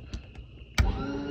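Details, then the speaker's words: Lippert RV slide-out motor: a few light clicks, then the motor spins with a steady rising whine and no load change, freewheeling because a gear in the gearbox is stripped; the slide doesn't move. Repaired by replacing the gear rather than the whole motor. "i pushed the button and you could hear the motor spinning and nothing what happened here i'll show you what it sounded like it's like spinning and spinning nothing"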